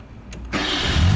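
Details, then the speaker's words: Nissan A31 Cefiro in a parking garage, which dies on slight throttle (owner suspects fuel issue): brief cranking whirr then starts into a steady high idle, likely from a tampered idle control valve; cranking is normal. "So it cranks over. That's not the problem. The idle is definitely high."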